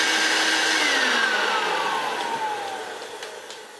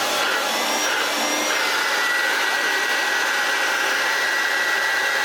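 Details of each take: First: Hoover Turbopower U2798 vacuum, newer-style motor, run bare with no bag during spares teardown: thin, piercing whine sliding lower as it coasts down; motor runs but sounds harsh. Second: Hoover Turbopower U2798 vacuum motor, restored with new bearings, run on the bench: smooth steady high whine with even airflow, no bearing rumble or grinding; slight armature sparking while the carbon brushes bed back in.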